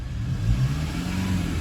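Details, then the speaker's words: Diesel engine with 395,000 km, free revving: deep note climbs and settles smoothly with no knocks or rattles, clean-revving; background squeak is belts on a separate 1KD engine nearby. "How clean is that? That is a clean revving engine."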